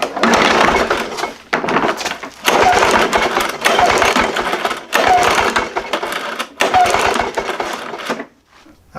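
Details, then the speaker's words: Lawn-Boy push mower that intermittently loses spark after sitting, coil corrosion cleaned: adjustable spark tester gap opened wider, sharp snapping bursts in steady runs; strong spark still jumping the wide gap. "opened that spark gap up even more still getting the spark"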